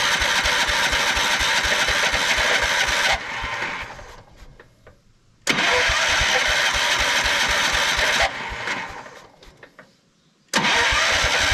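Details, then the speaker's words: 1979 Kohler K301 12 hp single: two roughly three-second cranking bursts of fast chugging with no catch; possibly flooded after priming, fuel reaches the carb, water in the fuel and a plugged jet are suspected in the carburetor. "I think I flooded it with that last bit of gas I put in there"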